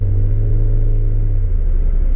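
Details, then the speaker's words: 1988 Acura Legend KA4 sedan with Honda V6, first road drive after sitting 10 years, after rebuilt fuel injectors, a replacement ECU and fuel pump; shifting well. Deep even rumble holds firm under throttle then eases smoothly, no noises: normal acceleration. "đó là chuyển số tốt cho đến nay cảm giác lái tốt không có tiếng ồn"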